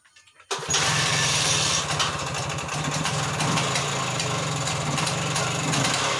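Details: Off-road buggy with new handmade exhaust installed: engine catches at once and settles into a fast, even putter with no misses, knocks or rattles; running normally.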